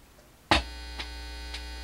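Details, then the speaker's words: Newly built TrainWreck Liverpool tube guitar amp, power-up after voltage checks (some readings odd): switch-on thump, then steady low mains hum with buzzy edge that never fades; cause unknown. "I'm going to turn that back up, forget the hum and noise, and tap around a little bit and see if I can figure out what's causing that nasty hum."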